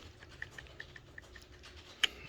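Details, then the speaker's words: Slash 4x4 Ultimate Edition, rear bulkhead off, slipper clutch secured: spur and pinion rocked give faint light ticks and one sharper click; slight backlash, gears properly meshed. "And if you notice, you can see some wiggle in the gears. You can hear a little bit of click."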